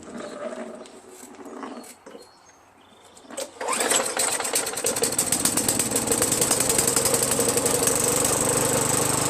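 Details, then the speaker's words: Craftsman 5.5 HP Tecumseh 21-inch push mower that previously ran only when primed, after carb bowl cleaning: catches around four seconds and settles into a steady, even run without stalling; normal running. "Got fuel coming out now. Fuel will stay running. How about that?"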